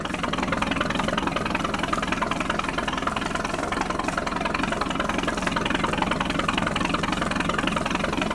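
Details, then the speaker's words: 1946 Century Sea Maid boat, roughly 70-year-old Grey Marine Phantom 112 straight-six, hose-started on trailer after fuel pump priming and choke: smooth, even idle with a steady quick pulse, no knocks or misses; running healthy. "I mean for a 70 year old motor man this thing's dialed in pretty well sounds good sounds amazing sounds great runs and sounds fantastic"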